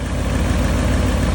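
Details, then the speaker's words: 1999 Ford F-350 with the 5.4 2-valve V8 at about 117,000 miles, after new spark plugs and coils. Steady smooth idle while warming; an earlier problem was likely the unconnected #4 plug. "right, we're warming back up and sounding better than ever."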